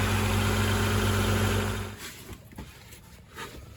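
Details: Integra after temporary exhaust patch, slip-fit pipe with three clamps replacing rotted resonator ends, before warm-up: smooth idle pulsing about four times a second, no puffing or rasp, then switched off; exhaust sealed.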